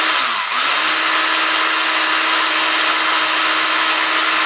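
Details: Rotary hammer drill after repair of broken bearings. Smooth, even high whine with no rattle or grinding; the motor spins freely and sounds healthy.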